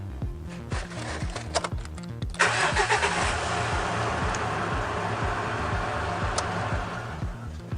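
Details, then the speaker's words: Mitsubishi Triton after intermittent no-crank fault from starter voltage dropout, solenoid replaced and starter bench-tested, out of gear: steady even crank about two seconds, catches cleanly and settles to smooth idle; tested 12 times with no dropout. "course never get cocky continually test it and test it so that was 12 times an even dozen to make sure that it was working correctly it didn't drop out at all"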